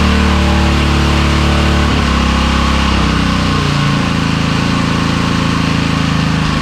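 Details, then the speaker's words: Small single-cylinder edger engine, after backing out the fuel mixture screw. It settles from higher speed to a low, steady putter set via the drive control switch. Normal low idle. "Now, that fuel mixture screw seem to be the problem cuz now I can have it idling nice and low via our drive control switch."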